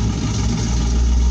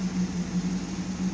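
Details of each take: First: 1972 Pontiac Firebird Trans Am V8, muffler blown apart after engine loaded up with gas, still cold, no choke so throttle feathered: loud, raw, deep rumble with throttle blips; blown muffler. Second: 1972 Pontiac Firebird Trans Am V8: deep, steady burble, even beat, no ticks or stumbles; owner thinks idle is a little low and might raise it. Normal idle.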